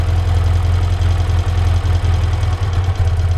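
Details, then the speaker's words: 1975 BMW R75/6 airhead boxer, off road over a year, Bing carburettors being tuned at idle: low idle stumbling and dropping out every second or so after one carb's idle mixture screw turned about half a turn clockwise, too far. "i'm now putting the screwdriver into the hide layer control screw i'm going to turn it clockwise now we need to listen to the engine noise clockwise that's about half a turn"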